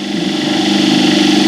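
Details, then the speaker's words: Squirrel cage induction motor on a trainer kit with a water-filled brake loading arrangement, light load applied, current rising from 0.37 to 0.4–0.45 A, about 1390–1416 rpm; steady even hum at constant pitch, no knocks or grinding; normal running under load. "ಈಗ ಲೋಡನ್ನು ಕೊಡ್ತಾ ಬನ್ನಿ. ನೋಡಿ, load ಕೊಟ್ಟರೆ ಏನಾಯ್ತು? 37 ಇರೋದು 0.4 amps ಆಯ್ತಲ್ಲ."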